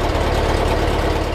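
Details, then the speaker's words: 1958 Porsche 356A flat-four, cold, after electrical tune-up of points and plugs and timing set to 5 degrees BTDC: even, smooth idle hitting cleanly on all four cylinders, no misses; sounds exactly as it should. "That's exactly how it should sound. Sounds wonderful. Nice and smooth."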